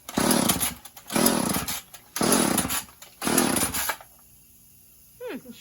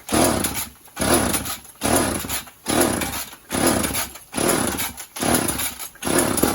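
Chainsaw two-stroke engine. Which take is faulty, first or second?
first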